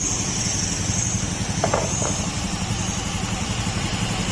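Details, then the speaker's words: Honda Beat FI scooter with CVT drive pulley removed, engine running at idle: quiet and steady with no bottom-end knock, confirming the connecting rod is fine and the rod-like noise came from the drive pulley. "tahimik naman. Wala namang problema yung connecting rod niya."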